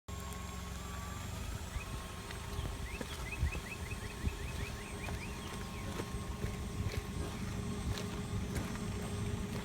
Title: Tire making noise